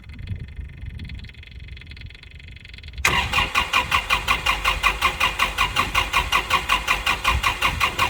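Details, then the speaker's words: Kubota L4701 diesel tractor after water-contaminated fuel and bleeding: starter churns steadily, under three turns a second, without catching while purging remaining air from fuel lines; eventually fires and runs rough then smooths out. "as you can see it did take some Frank in this last one when it started to hit I kept cranking until it fired up and ran"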